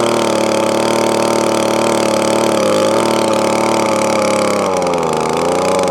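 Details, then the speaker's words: Echo ES2400 two-stroke leaf blower with replacement carburettor after the adjusting screw was backed out to tune: steady even high-pitched drone holding constant speed without surging or misfires; normal running. "foreign now all up and running"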